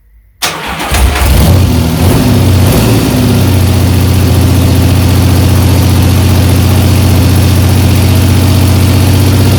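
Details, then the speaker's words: 1975 Triumph Trident T160 on its first start after a full rebuild, cold, with the choke being turned off. It catches after a brief crank, then gives a loud, deep, tractor-like blare because the loosely fitted exhaust has come off again and is blowing open. "not bad except my attempt to uh loosely put the exhaust back on has clearly failed because it sounded like a tractor because it's basically uh come off again"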